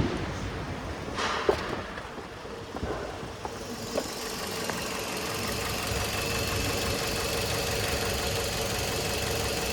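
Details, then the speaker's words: 2006 Toyota Porte NNP15 with a 1NZ-FE engine, automatic, 4WD, tested in Japan before dismantling. After brief handling clatter it settles into a steady, even idle; the revs don't hunt and there is no smoke: normal idle. "Двигатель работает ровно, обороты не плавают. Не дымит."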